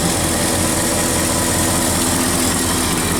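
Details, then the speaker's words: Ford 360 FE V8 truck with Motorcraft 2100 2bbl, after spark plug regap and vacuum gauge tune: low, steady, even idle at about 600 rpm, no knocks or misses, shaking less than before; normal idle. "RPMs are 600 or so. Looking pretty steady."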